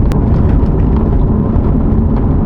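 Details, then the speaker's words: C7 Corvette on rough bumpy road after targa top rattle fix: only steady low tyre and suspension rumble, no roof rattle or tapping at the same spot that rattled before. "all right that is the same exact spot and there is absolutely no rattle outside of just the regular rattles of like the suspension and anything else"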